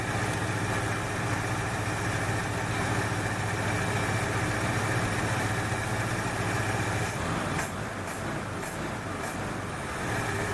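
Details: 1968 Ford Fairlane, flooding carb fixed: even, steady low idle rumble, smooth with no misses; sounds better after correcting a line hooked up backwards, a plug or two suspected fouled from rich running.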